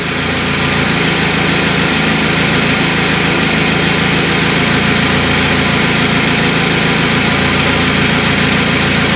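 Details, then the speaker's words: Carburetted car on LPG after reducer membrane and idle adjustment: a steady, even idle with no hunting, misses or surges. The engine runs smoothly and stably on gas. "я вот она работает ровно и стабильно"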